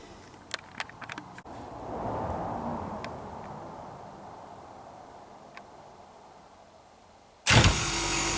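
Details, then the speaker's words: Rivacold chiller on a trailer, after replacing stuck compressor relay (plus external relay) and fitting new start and run capacitors for a lazy-starting compressor: a few light clicks, then the compressor starts instantly and runs steadily; starting much better, button must be pushed and held. "yeah starting much better you have to push and hold the button for it to change state"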